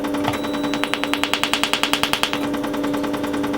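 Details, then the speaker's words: Quantronix Excel Dual Pulse 2000 holmium/neodymium laser set to 10 Hz, before the foot switch is pressed: crisp, evenly spaced snaps about ten per second over a steady hum. The flash lamp is firing normally. "You can hear already the flash lamp inside. So the laser is running, but there's nothing coming out of the fiber yet until I press the foot switch."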